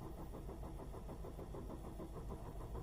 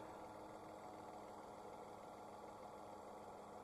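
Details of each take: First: Dacia/Renault 0.9 turbo at 155,000 km, cold morning start: the starter churns long, about three beats a second, before firing. The plugs were last changed 50,000 km ago; worn plugs are suspected, and they are being replaced with NGK Laser Iridium. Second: Dacia/Renault 0.9 Turbo petrol, 155,000 km, idling after NGK Laser Iridium spark plug replacement for hard cold-morning cranking: quiet steady idle, even hum, no stumble, miss or knock; runs smoothly.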